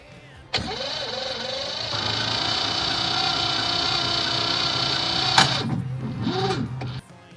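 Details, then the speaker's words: Farm Pro 2425 tractor at about 25° outside, cold, owner doubts glow plugs work; battery charger connected, starter cranks steadily about five seconds but never fires or catches. Crank no start, cause suspected, not confirmed. "well I can't get it start"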